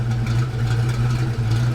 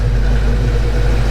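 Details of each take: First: Foxbody Mustang V8 after cam swap, idling; light quick ticking at engine speed over steady idle, worse as engine warms; owner suspects loose rocker or stuck lifter. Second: Foxbody Mustang V8 after cam swap, next day after fixing a ticking traced to a loose rocker or pushrod: deep steady idle with an even beat, no ticking or misses; good oil pressure and temperature; sounds healthy.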